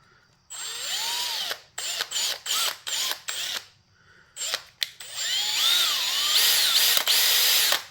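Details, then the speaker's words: 1968 Cadillac Sedan DeVille front power seat gearbox/actuator, rebuilt, test-spun: short bursts of high drill whine, spinning freely with no catch, grind or chatter; butter smooth after rebuild. "yeah that's that's butter smooth so very good yep"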